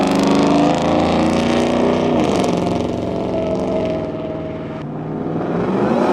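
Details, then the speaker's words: 2017 Shelby F-150, 750HP supercharged 5.0 Coyote V8, new stainless dual 3.5-inch megaphone exhaust with tips: deep, even burble cruising at 50 mph with road and wind noise, not unpleasant, no drone building in the cabin; normal exhaust note. "It's not overbearing, it's not unpleasant. I'm cruising here at 50 miles an hour. I've got no drone whatsoever."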